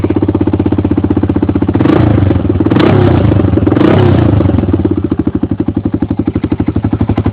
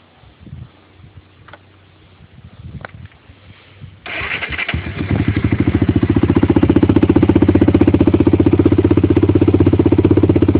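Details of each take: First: 1993 Honda 300EX single-cylinder ATV before rebuild, stock exhaust: loud, open, popping exhaust about four pulses a second at idle, barking harder on blips; muffler baffle blown out. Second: 1993 Honda 300EX single-cylinder ATV, beater before rebuild, stock exhaust with blown-out baffle: brief shuffling, then it catches at once and settles to a steady, even thumping idle; starts right up.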